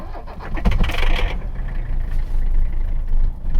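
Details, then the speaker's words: Abandoned Mercedes 300CD diesel, started after the third glow plug cycle before its first road drive: brief cranking catches quickly, then a steady, even low idle clatter with no misses; normal start and idle. "purrs like a kitten all right it's got movement"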